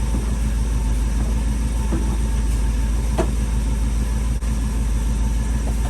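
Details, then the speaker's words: Long-stored sentimental old truck after a long sit, with fuel far down: the starter turns the engine at about three turns a second with no catch; long crank, no start, cause not confirmed. "wow get close it's getting close friends it it it's just sat for so long i'm just going to give it a minute i don't want to heat up the terminals"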